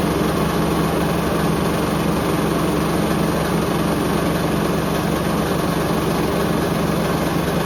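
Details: Hoover Link HL1682D3 washing machine, badly damaged, door seal twisted, on spin: loud steady churning roar with constant clattering rattle, badly damaged cabinet shaking and banging as drum turns, extremely loud; still works.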